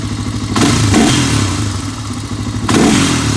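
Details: 1985 Honda ATC 350X single-cylinder, hot, after fitting a 400EX carburetor: even idle with two crisp throttle blips rising and falling cleanly; normal running, carburetion responsive.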